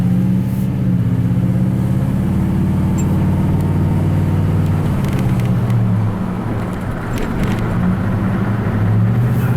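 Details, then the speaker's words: 2004 Ford F-150 after installing a 9.75-inch rear axle, test drive at cruise with window up: even engine drone and tyre roar, no whine or howl rising with speed; rear end quiet and healthy. "So far it's nice and quiet. I put the window up. Give you the same conditions you had before. It's nice and quiet."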